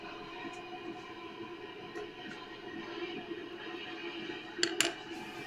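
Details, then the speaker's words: 1970s Kustom Sidewinder 24C guitar amp at full volume with nothing plugged in: steady ocean-like static hiss with a faint hum where it should be dead quiet; amplifier hiss. "full volume and now i'm definitely hearing a distinguishable like a tone or not really a tone but more static hiss it does does sound like you're at the ocean like the waves are crashing in on you so that's not normal"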